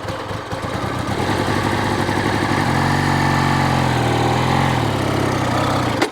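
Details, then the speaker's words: 1970 Benelli 650 Tornado twin, gear position uncertain: runs rough and uneven for a few seconds, sags, then cuts out; won't stay running and keeps kicking back, cause not yet found. "Oh, no. It doesn't want to It doesn't want to stay running. It's kind of weird."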